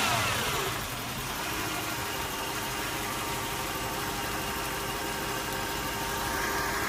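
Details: Toyota 1UZ V8 drops from a quick rev into an uneven, lumpy idle whose beat keeps wavering instead of settling smooth; rough idle, cause unknown.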